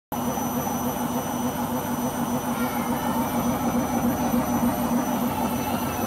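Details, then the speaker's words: Beko washing machine during the spin cycle: a steady, heavy roar with a low hum throughout, like a passing vehicle; the owner suspects the rubber behind the drum, cause unconfirmed. "That was very worrying and I hope it won't do it on the next spin."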